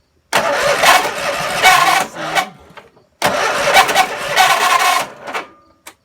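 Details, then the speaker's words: Lawnmower after full oil change and carburetor rebuild with new float: two short rough start-ups with a squeaky, yelping chirp riding over the engine; source unknown. "hear that sound that sounds like new yorkshire terrier I don't know what that is perhaps you guys can help me"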